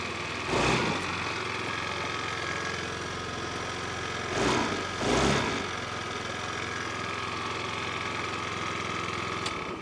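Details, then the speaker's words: 50cc Ice Bear trike Chinese scooter after blocking off broken vacuum line near carburetor to stop vacuum leak; engine catches and settles into steady even putter with quick throttle blips, idling smoothly. "all right that's the fix so basically so i guess that was a pretty quick and easy fix"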